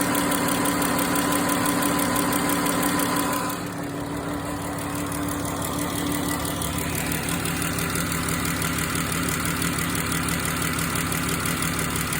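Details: Pentastar 3.6 V6 at idle with a light quick tick about three per second while the engine cover rocks; cause unknown.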